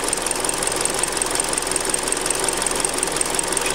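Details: Hyundai Creta at 40,000 km, before an oil change, running on 5W-30. Steady, light ticking clatter over an even idle with no speed change. Cause undetermined.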